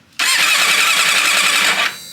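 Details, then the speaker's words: Third-cylinder compression test on a four-cylinder motorcycle, one of five bought, first crank in neutral with the plug out; high, even starter whir under two seconds, no dragging or hesitation; very consistent, healthy cranking. "beautiful very consistent last and final cylinder here we go"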